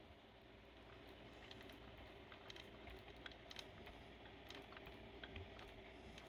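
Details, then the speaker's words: Motorized bicycle stock kit chain turned slowly by hand, engine off, giving scattered sharp ticks: about six marked bad links catch on the pinion gear, causing noise and chain wobble. Pinion was checked OK. "6 of them, they not good, touching the pinion gear and makes the sounds and make this chain wobbling so crazy."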